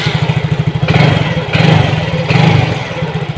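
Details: Yamaha Mio GT scooter starting and idling after injector replacement: it was previously hard to start and would not idle, with the ECU always adding fuel and long injection duration. Now quick, even idle at 1300 rpm, O2 sensor 0.49 V, idle control 19.0%, no stalling; healthy.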